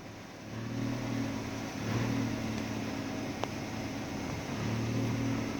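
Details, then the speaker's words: 2007 Nissan Primera P12, 170,000 km: after the power steering fluid change the wheel went completely silent. Only a soft, steady low hum at idle as the wheel turns, no whine or howl. Normal power steering sound. "и пока я ехал домой я забыл о том с какой проблемой я к нему приехал то есть руль вообще бесшумный стал"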